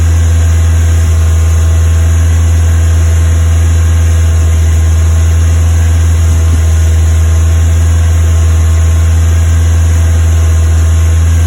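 Deep steady drone at fast idle with the odd uneven stumble breaking the beat, consistent with a cylinder misfiring.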